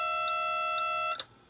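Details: WD Passport 5TB external hard drive after an accidental drop: steady high whine with faint ticks about twice per second, then a sharp click and silence. Abnormal noise after drop, cause unconfirmed.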